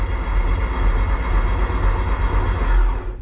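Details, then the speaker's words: Toyota MR-S fresh 1.8 20V turbo swap engine cranked on starter without spark plugs to build oil pressure: steady even smooth low churn about three seconds, turning freely, oil pressure built on starter alone; normal cranking. "at PSI of oil pressure on starter motor alone on a fresh engine mint chuff with that"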